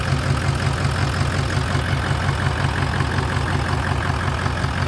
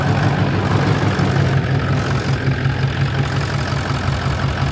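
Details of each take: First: Stainless dump truck diesel started after sitting about 4 years: heavy idle with steady regular chuff about three times a second over the low rumble; exhaust suspected broken. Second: Stainless dump truck started right up after sitting 4 years: steady low rumble at idle with an even beat, no knocks or misses; exhaust possibly broken, soon runs out of fuel.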